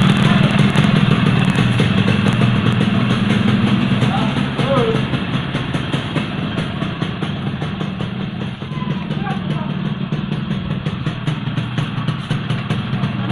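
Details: Yamaha RX King two-stroke after pressing the piston back tight in the block to cure a rough engine noise from the piston: crisp even burble settling into a steady idle with no knocking or rattle; normal running.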